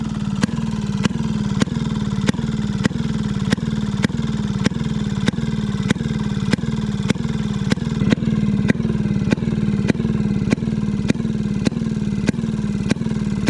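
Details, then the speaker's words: Maytag 92 hit-and-miss engine after off-camera adjustment, later found to have been getting too much fuel: sharp regular firing pops about every half second with no squeal. Yesterday's squeak has quieted a lot. Normal running. "see if it want more fuel or something seems happier the the squeakiness of yesterday has quieted down a ton too"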